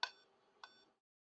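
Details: Dell Inspiron 3521 (LA-9104P board) on power-up with no display; two short sharp high beeps then silence, a power-on beep warning; memory problem suspected and CMOS battery seen broken, cause unconfirmed.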